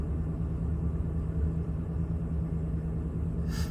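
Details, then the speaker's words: 2011 Chevy Silverado 5.3L V8 after new spark plugs and wires fixed the cylinder 7 misfire (P0307): it fires right up to a low, even, smooth idle with no vibration, a steady RPM and no check engine light. "Oh yeah, fired right up. Sweet, no weird vibrations or nothing."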